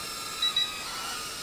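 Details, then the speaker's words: Potensic A21 mini battle drone (180mAh battery) in flight: two quick high-pitched beeps over buzzing rotors warn the battery is getting weak; low battery warning. "okay hear that beeping that's telling us that the throttle is starting or the battery's starting to get a little bit weak"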